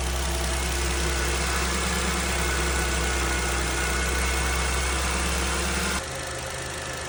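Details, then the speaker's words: Renault Clio 0.9 TCe three-cylinder after timing chain replacement (arrived with obvious chain noise and timing fault codes), first start after rebuild: smooth even idle, no chain rattle or tapping, until shutoff; far healthier than on arrival, normal idle. "Well then, it certainly sounded a lot healthier than it did when it arrived this morning."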